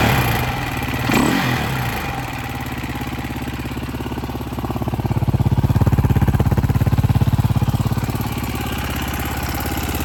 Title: KTM EXC 530 2010 backfiring and noise from engine.